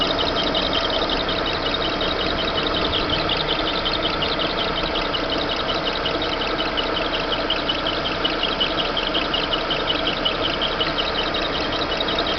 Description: Barulho irritante vindo d correia do motor do monza.